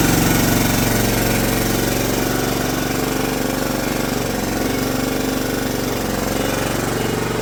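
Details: John Deere LT150 mower with swapped-in replacement 15 HP Kohler engine: fast even single-cylinder chatter about four beats a second, steady speed, no misfire or tapping; runs better and quieter than the day before, normal.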